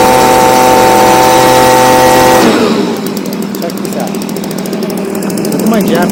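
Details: Stihl BG55 blower, a no-start with a torn carb diaphragm, now on a new replacement carburetor (part C1Q-S68G) being adjusted for more power: a small two-stroke screams at steady high pitch for a couple of seconds, then drops away, with a clean full-throttle run and no stumbling.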